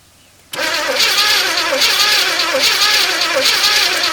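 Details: 1981 El Camino sat 21 years, carb primed with gas: starter cranks steadily about four turns a second, nearly catches but never fires; two cylinders dead from chewed spark plug wires.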